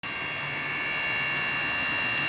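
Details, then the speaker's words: 3D printer cooling fan driven by PWM: a steady high-pitched whine over a soft fan whoosh, never changing pitch; the fan's PWM speed control produces the noise, later eliminated by a fix circuit. "I hate this noise so much… And to suppress it is a really hard task."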